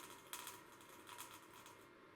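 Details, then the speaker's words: 80 W CO2 glass-tube laser run at 99% power, its beam bounced off a mirror into a cup of water with no lens fitted: irregular sharp crackles and pops as the water flashes to steam when pulsed, not a tube fault. Normal beam-dump crackling. "what we're doing is we're just bouncing the 80 watt beam off that mirror down into a cup with some water in the bottom and when I press the pulse button that's what the energy is doing it's converting that water into steam"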